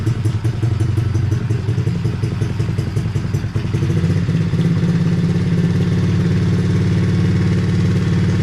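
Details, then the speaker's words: Hawk 110cc ATV after replacing carb with stuck choke, choke off: small single runs fast and keeps creeping higher, never settling low while idle screw is lowered; high idle after carburetor replacement. "So, we got the choke off. Still wants to run off a little bit. Let's see if we can lower the idle. Still wants to go."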